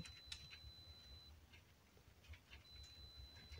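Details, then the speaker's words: Off-grid solar home's inverter low-battery alarm during a heavy snowstorm: a long, thin high-pitched beep that stops and returns over faint room noise, the out-of-power warning meaning it's time to start the generator. "anybody who lives on solar knows exactly what that noise is that's the you've ran out of power beep time to start the Jenny"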